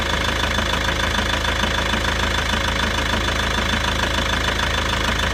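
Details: Volvo V70 2.0 diesel at idle: steady idle with an even knock about three times a second; owner suspects the clutch or dual mass flywheel, cause unconfirmed.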